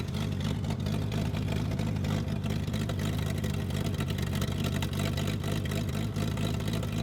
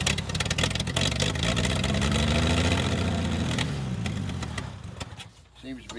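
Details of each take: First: Toro Parkmaster tractor sitting for years: steady low engine drone with even firing and no knocks or misses; running smoothly. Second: Long-sat Toro Parkmaster tractor, run from a hose in a gas can with the tank removed: it catches and runs a few seconds, then revs sag and it dies, burning only the poured-in fuel. Owner suspects a fuel pump with dried-out rubbers.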